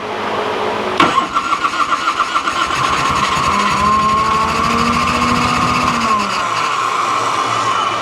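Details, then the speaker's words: 1986 Harley-Davidson Liberty Edition Electra Glide Classic, 23,000 miles, unrun for a decade, on choke with old plugs and a weak battery pack: starter grinds, engine catches and stumbles but won't stay running; weak spark from bad plugs suspected. "Okay, maybe weak spark with those bad plugs, because she was wanting to come alive, but I had to stay on the starter, and I don't want to burn that up or the starter solenoid."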